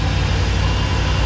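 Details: GMC Savana 2500 LS V8 van after engine tune-up: smooth, even low idle with steady beat, no miss, tick or shake; engine in good health.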